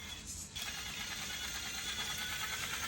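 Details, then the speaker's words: RC crawler with a 900 kV 3648 outrunner on an AG Innovations Ninja micro ESC, under load: steady buzzy drone with a quick even chuff, turbo-diesel-like, no outrunner howl, grinding or stutter; healthy. "It really does sound turbo diesel-y."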